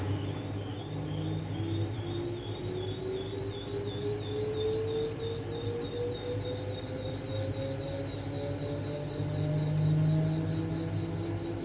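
A thin squeal slowly climbs in pitch over the low drum hum, with a high warbling whistle above it; the washer squeaks during tub cleaning.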